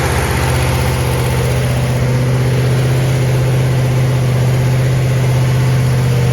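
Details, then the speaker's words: 1970 Chevelle SS with a freshly built solid-lifter 454 big-block on locking rocker nuts, restarted to finish break-in after about 15 minutes of running: low, even idle at about 650 rpm with a steady beat, no ticks or knocks; runs healthy. "it starts right up I mean it I mean it idles down to 650 RPM and uh we're very very very happy with how this motor is running"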